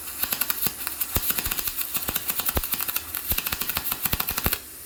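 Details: YesWelder MIG-205DS inverter MIG welding 3/8-inch scrap plate, maxed out, set at positive 10, argon pre- and post-flow: steady fast crackle of sharp ticks about ten a second, no pops or sputter; a pretty nice bead.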